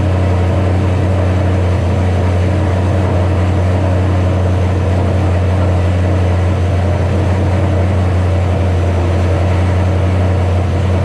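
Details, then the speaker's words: 2007 Ford Shelby GT500 supercharged V8 on first start after L&M NSR cam install with Venomous Tuning tune: deep, steady rumble at fast even idle, no dip; idled real high on initial start, later lowered by a tune revision. "so a little bit has happened since that last split pretty much you saw the car start up idled real high let it go"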